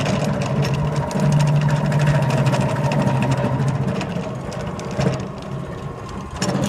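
Steady low hum with a loose, uneven clack about 160 times a minute; could be a belt or bearing, cause not pinned down. Cause suspected, not confirmed.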